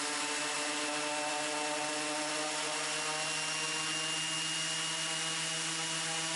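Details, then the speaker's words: Raptor prototype aircraft engine run-up outdoors after reassembling and oil-priming the reduction drive, checking leaks and governor: steady high engine note with even whine, constant speed, no grinding or rattles; healthy run-up. "So this is a run up here going on. I'll let you listen to that for a little bit."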